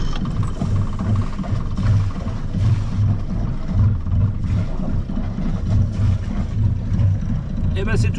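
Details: Marine inboard diesel idling after a cooling circuit rebuild, with the tachometer terminals and sensor cleaned to fix the tach fault. Steady low thrum with an even, unhurried beat and no knocks or misses; healthy idle.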